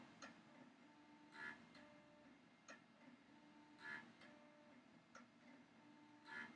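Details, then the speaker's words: Classic compact Macintosh smoke test, suspected bad-video unit: faint ticking buzz about every second as the floppy stepper motor pulses and cycles, disk never spins up; floppy drive stepper pulsing, disk not spinning. "yeah she's sitting there pulsing I can hear the stepper motor sounds like it's trying to cycle"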